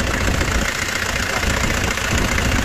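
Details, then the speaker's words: Used Kia K2700 diesel truck at idle after start with ~10 s glow-plug preheat and weak battery; steady, even diesel clatter, no misses or odd knocks – healthy engine. "khi mà chúng ta nổ máy con ga lên nó có chứng bắt là ok đấy Nó có kến rắ là ok đó"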